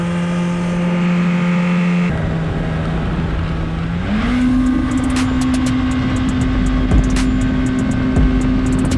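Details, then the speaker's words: Yamaha supercharged jet ski on water test after supercharger clutch replacement; steady engine note settles then lifts to a higher even pitch, clean and smooth with no knocks, slips or rattles; test went well. Normal running. "hi everything went well so we're gonna go ahead take this back to the shop"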